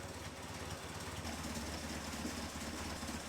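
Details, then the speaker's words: Caterham Super Seven 1600GT Sprint, 1.6-litre, 27 years old, carburettor without choke, with silencers fitted in its bare mufflers, cold start in cold weather: lumpy, wavering idle that wants to stall unless throttle is blipped; unstable cold idle. "It's like this, until the engine stabilizes, I have to blow on the accelerator a little to get the RPMs up to start the engine."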